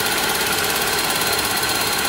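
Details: Toyota Soluna petrol engine idling with a busy, uneven clatter, misfiring (brebet) and limping, exhaust going blub-blub; suspected faulty spark plug wires, which were replaced.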